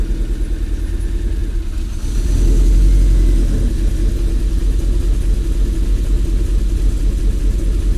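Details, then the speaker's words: MG engine with a loud-ish ticking, restarted after compression test: lumpy, uneven idle with irregular stumbles and a brief rev, running rough like at first start; ran okay after swapping the coil packs. "something doesn't sound right so i don't know why but it's running dog rough almost like when i first started it"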